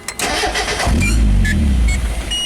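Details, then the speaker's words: Mazda Miata idling problem with the intake-manifold vacuum hose removed, parked in neutral: starter cranks, engine catches for about a second, then dies instantly from a large vacuum leak. "so without that hose this is what it's doing basically whenever I get in the car and it started up I have to keep my thumb together so it just died"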